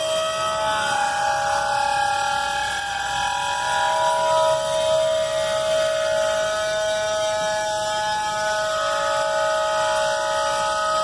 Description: Flint Hills grain derailment Abilene, Ks October 2019 brakes locked up very high pitched squeal